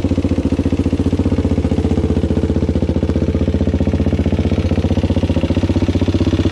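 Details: Suzuki LT-Z400 single-cylinder ATV warming at idle before valve clearance check: steady fast clatter near four taps a second over a lumpy idle, suggesting loose valve clearance; cause unconfirmed.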